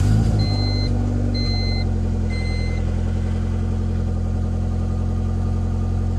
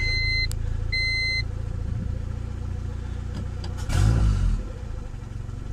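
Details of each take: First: Honda with Skunk2 Pro intake manifold, stock throttle body, P28 tune on E85: after three chimes, holds a steady fast idle stuck near 1500 rpm and slow to drop after revving. Owner suspects a vacuum leak at the throttle body gasket. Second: Honda with Skunk2 intake manifold, refitted 70 mm throttle body, E85, 33° timing, after high-idle fix: steady low idle around 1000 rpm, throttle blip drops back quickly; owner suspects the IACV had been leaking.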